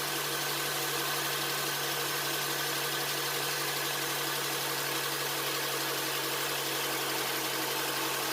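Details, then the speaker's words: 2007 Honda Accord, first start after a Melling timing chain replacement, not yet at temperature: a smooth, steady idle with a constant low hum, no rattle or ticking from the chain, and no check engine light. "Let's start her up, hope for the best. Sounds good, no check engine light."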